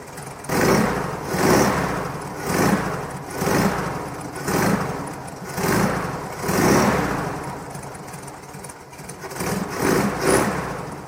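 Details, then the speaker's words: VW T1 split-window bus air-cooled engine running during restoration: chugging with a loose uneven rattle rising and falling about every second, like an unsealed hinged door shaking; cause unconfirmed. "。動きますが、ガタガタ音がします。シールがないヒンジ付きドアだけです。"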